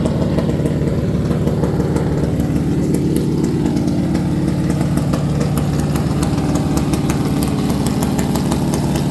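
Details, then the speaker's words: Stock 440 Mopar big block V8 with the biggest available cam, idling about 700–800 rpm: lumpy uneven lope with stumbling pulses, misfiring; suspected bad spots in plug wires, possibly idle too low for the cam. "That's about 700 RPM right there at idle. It is misfiring a little bit."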